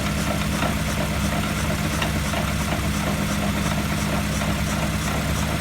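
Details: Wheel hub bearing noise heard through a mechanic's stethoscope: steady low droning growl with constant hum, no break; worn wheel hub bearing.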